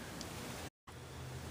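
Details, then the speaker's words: Pre-1934 Emerson Model 23 tube radio under repair, run up to 110 V, antenna connected: steady soft speaker hiss with no station received; owner suspects a faulty tube, not confirmed. "Just a little bit of static out of the speaker. Probably caused by one of the tubes, I don't know. Probably a tube."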